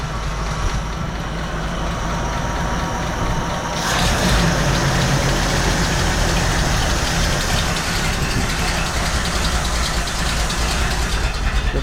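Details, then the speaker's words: Jeep CJ7 just fitted with a new carburetor, idle screws seated then backed out about two turns: low, slightly uneven quiet idle near 600 rpm, then throttle blip raises the note. Carburetor needs tuning. "all right well clearly we've got to tune this Carver a little bit but did you guys hear it run there for a second I mean 600 RPMs and it was quiet as a mouse started right up that is excellent"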